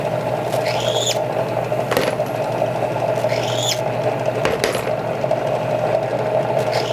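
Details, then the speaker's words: Outside case-mouth deburring of rifle brass for a Dillon XL650 reloading setup, cutter (Kwik Trim) chucked in a drill press; steady motor hum with short rising squeals as brass meets the cutter, the normal deburring sound. "Hear that little squeal? And that's all you need to take that outside deburring off."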